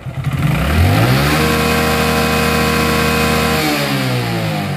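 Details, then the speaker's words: Hero Glamour 125 after clutch plate change, after resetting the clutch bush so it no longer touches the housing: engine revs, holds a smooth drone and drops back cleanly; earlier rubbing noise gone. "আগে যে বাইকের একটা sound ছিল, মানে কোনো কিছুর সঙ্গে ঘষা খাচ্ছে, এই সাউন্ডটা আশা করি এখন নাই, আলহামদুলিল্লাহ। আর কোনো সমস্যাও হবে না।"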